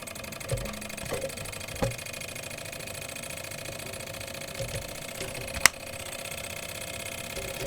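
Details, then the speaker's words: Single-cylinder Stirling engine generator kit, flame underneath on a metal plate, just started and lighting its LED: fast, light, even ticking with a few handling clicks, running very fast and smoothly. "okay oh i feel it's moving more than just me look it's running very fast"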